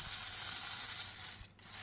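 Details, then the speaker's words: Hornby Intercity 125 model train motor, bought as a non-runner, after a drop of oil on the armature bearing: fine, even high whirr with no rattle or squeal, now much quieter and running smoothly. "That's a lot quieter now. Yeah, that's great."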